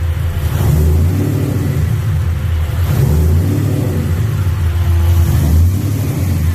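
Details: V8 just rewired to a Holley ECU, running hot with the fuel pump and fans now ECU-controlled. Deep rumble swelling and easing over a few throttle blips, firing evenly with no misses or knocks; normal start and rev.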